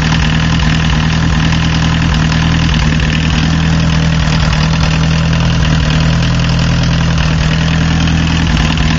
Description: The car starts up really easily, but after warming up, one of the cylinders starts missing. I'm trying to figure out why, my opinion at the moment is a bad injector.